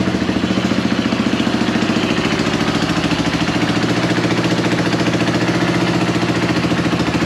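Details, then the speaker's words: Yamaha YFM225 quad after rebuild, first start with oil primed: even, steady single-cylinder thump at idle, about three and a half beats a second, no knocks. Slight exhaust leak and some smoke, no oil leaks; sounds healthy. "all right sounds like we have a bit of an exhaust leak over here a little bit of smoke coming out that's quite normal no oil leaks everything looks good"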